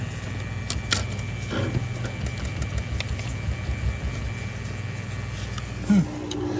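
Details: Maytag dishwasher MDB4949SKZ2, won't wash, throws F9E1 code: low, rough hum with a gritty growl as the wash motor strains; the filter inside the motor sump is breaking up and locking and overheating the motor. Wash motor binding from debris.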